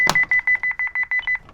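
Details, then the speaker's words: Honeywell Home PROA7PLUS alarm panel lifted off its backplate so the rear tamper switch is released: a rapid run of sharp, high-pitched beeps for about a second. Control panel tamper trouble alert, silenced and then cleared with the master code. "There we go. And, no, we're not having an emergency. So let's not do that, but we got the silence to stop-- or the beeping to stop."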